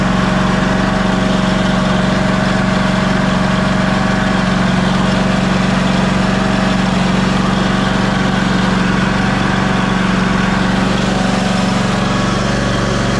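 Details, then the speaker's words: Ariens Ikon XD 52-inch zero-turn mower, Kawasaki FR691V V-twin, run about 10 seconds after refilling oil to the full mark during annual service; steady, even low drone with constant hum, no misses or knocks; normal idle. "so I am going to crank this thing and let it run for just a 10 seconds"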